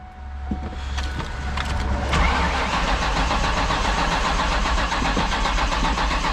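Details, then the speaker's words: Ford Mustang after heater matrix replacement with car fully disassembled and reassembled, will not start; starter churns the engine over with brief catch but never settles into running, cause unknown. "so it's starting now but why why is it not [ __ ] running"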